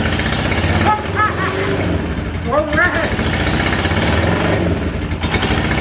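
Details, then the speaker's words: 1977 Honda Hondamatic barn find, not started in years, choke on, carbs need adjusting: fires after long cranking and runs roughly at low, uneven speed without settling to steady idle; unexplained whining noted. "Oh man, she started up though. That's a start. That is a start. All right, let's try again."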